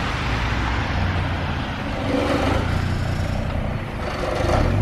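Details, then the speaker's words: Mini Cooper petrol engine on its original exhaust, before a Cobra Sport custom exhaust install, revving: coarse, uneven rattle over the low drone as revs rise and fall; exhaust rattling, cause not identified. "wow that sounds lovely Harry yeah oh my God if I wanted my car to sound rattly I'd come to you"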